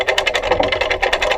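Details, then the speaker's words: Harbor Freight pickup truck crane after welding the pulley fix, lifting a 200 lb generator: quick even ratchet clicks, roughly ten a second, cranking smoothly with no binding. "we've got the same 200 pound generator on that we have before and we're going to try to crank it up here see if this play actually rolls"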